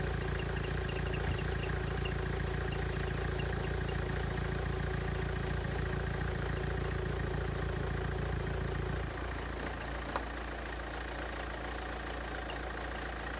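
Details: Renault Clio 1.5 dCi 65 diesel after fuel filter replacement, restarted after priming with hand pumps: even diesel clatter at idle with a steady beat, no stumble or hunting, idling normally.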